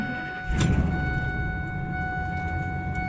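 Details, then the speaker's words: Truck starting up and settling into a loud, rough, chuffing idle from an exhaust leak; the owner is unsure whether it is at the manifold or a shot muffler. "Yeah, that's a problem we've got to fix. Exhaust leak somewhere. I don't know if it's at the manifold or the muffler is shot on the thing too."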